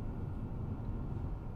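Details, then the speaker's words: 2006 Subaru Legacy GT manual transmission while driving: steady low rumbling drone, cyclic grinding like a roller bearing, not dependent on engine speed, first heard reversing; suspected transmission bearing, not confirmed. "i mean that that noise was like a cyclic like a grinding like a like a roller bearing something just like not not hap there's that there's that noise again uh just not happy at all"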